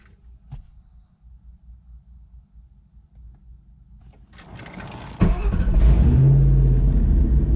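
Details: 2001 Roush Mustang 4.6L 2V V8 after installing MSD Blaster coils and new spark plugs: catches after a quiet moment, then settles into a deep, steady, even rumble with no stumbles. The misfire is fixed.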